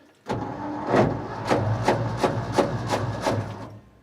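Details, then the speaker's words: Ford F600 ex-U-Haul truck, 359 FT engine freed after sitting locked up for 20 years, first start attempt: slow, uneven starter cranking, about three compression pulses a second over a low hum. Engine turns over but never catches. "It turns. Let's see if you can get a picture of it here. Whatever you do, don't fall in there. All right. Clear prop. The motor turns over."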